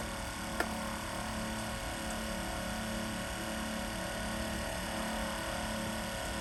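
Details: X-ION MAX RO water purifier pumps, loading up as the waste valve is turned down and pressure builds: steady even hum with constant low tone, no knocks or surges; normal running under load.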